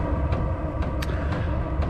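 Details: Diesel heater running with its original fuel pump: sharp ticks about twice a second over a low combustion rumble; loud fuel pump ticking, fixed by swapping in a quieter aftermarket pump.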